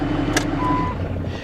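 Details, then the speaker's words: 1983 Porsche 928 S idling with a freshly charged battery: short run of rapid dings, a dash warning chime is active, but which warning is not identified. "she's dinging she's definitely upset about"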